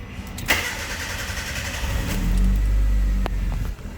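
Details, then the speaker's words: Proton Waja 1.6L 4G18 automatic after replacing the faulty idle stepper motor and readjusting TPS: short crank, fires promptly, flares, then settles to a smooth steady idle without hunting; normal start and idle. "Alright. Cantik macam biasa. Okey, sekarang bagi dia panas dulu."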